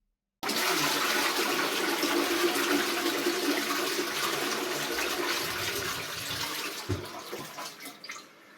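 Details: Toilet cistern after replacing a worn ball float valve with a new Flomasta fill valve: strong flush then a steady even refill hiss tapering smoothly, no hammering, vibrating or whistling; normal refill.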